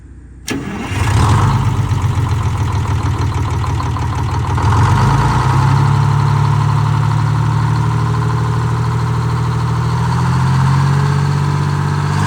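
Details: Detroit Diesel 6-71 two-stroke in a 4104 bus, after coolant-in-oil repair, new oil filter, in neutral, run to warm up; cranks briefly, catches cleanly and settles into a steady even idle.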